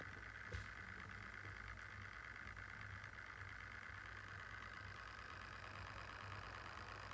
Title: Lenovo Yoga Slim 7 - 4800u idle fan noise sounds errorous